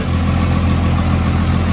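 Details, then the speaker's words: Cummins diesel, cold start on a cold day with a little smoke: deep, even diesel rumble with a steady low throb and no knocks or misses, settling into an idle that sounds clean and burning right; normal diesel idle. "well I mean it sounds clean sounds like it's burning right"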